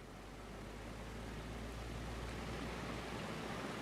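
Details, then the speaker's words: Lenovo ThinkPad T400 laptop cooling fan: a loud, rough, steady rushing whoosh with no clear tone or knock. The fan is excessively noisy, and the owner suspects heavy dirt buildup. "that's probably more or less as a result of being so dirty it sounds like crap"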